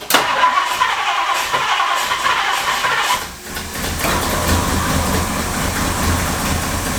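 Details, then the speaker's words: 1962 Ford Thunderbird Landau barn find, after a new fuel pump was fitted; cranks about three seconds, catches cleanly and settles into a steady idle. Normal start, running really nice. "And we're running. You just never know when you get in these things what's going to happen."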